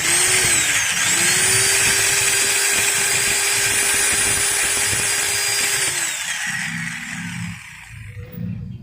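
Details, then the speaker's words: Maktec MT90 angle grinder after replacing the bevel gears: steady high whine with slight roughness/knock at the end, then coasts down; new gears not worn, will smooth with use. "kalau ini tidak lolos guys cuman hanya sedikit kasar aja Nah bisa kalian dengar sendiri kan suaranya ada ngetop di bagian ujungnya"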